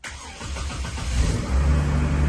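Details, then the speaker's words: 2003 Chevy Trailblazer LTZ 4.2 I6 after rusted fuel pump replacement, skid plate off, fuel pump heard priming: brief crank, then catches and builds into a steady run; normal start. "I dropped the whole can, hit the floor, but it's running. It smells like trash coming out of that exhaust."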